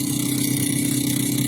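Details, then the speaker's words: New refrigerator, installed a week ago, with good cooling in both compartments: the upper-compartment fan is very noisy, a loud steady hum with a fast rhythmic flutter, far rougher than a normal fan with small bushings. The cause is unconfirmed. "Cuma masalahnya adalah berisik banget teman-teman, kipasnya berisiknya minta ampun. Sorry, ruang atas berisiknya minta ampun."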